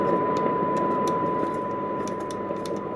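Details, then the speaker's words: Precedent valve stereo radio during alignment, 6B6 and 6N8 valves, 700 microvolt sensitivity: even unchanging hiss with a thin steady whistle anywhere in the band; weak, low gain, cause not yet found. "it makes no difference where we are in the band. And it shouldn't where it we've got a harmonic there."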